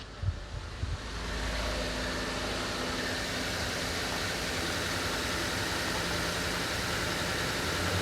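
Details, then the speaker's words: 2014 Ford F-150 that cranked but would not start; after replacing blown 20 A fuse number 20 (module supply), a few clicks as it catches, then steady even idle with no misses or knocks. Fuse cause suspected overload or pump. "Fuse niya number 20 sa module supply. So start na. Narinig niyo andar. So andar siya guys."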